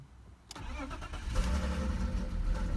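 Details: BMW E39: engine cranks and catches, then idles with an uneven, lumpy, wavering beat like a cylinder dropping out; misfire and rough idle, and it shakes, sputters and stalls.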